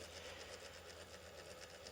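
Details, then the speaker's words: Well-used, dim Brite-Source 120W 6000K LED corn lamp: one of two internal cooling fans is failing, running very slowly with a fast uneven rattle and thin buzzing hiss; overheating has already blown two control-gear capacitors. "and it sounds like the um fan died in this light and once the fan started doing what it's doing now which is running very slowly and making some bad noises"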